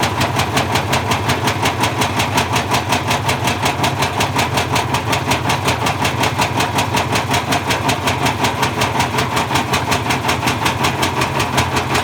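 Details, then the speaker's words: Bosch Classic 6 1200 Express washing machine hot-wired straight to the motor, top ballast removed, objects inside: loud regular banging about two to three times a second as the drum turns loose on a broken spider. "so i think somewhere along the line there we lost the spider at the point where it was going fast and slowed down it's gone completely loose inside and i think it the spider just fell apart there"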